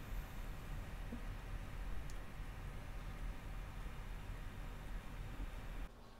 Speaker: computer has been on for quite some time now and it's dead quiet from the fan of the power supply so I think this was a good fix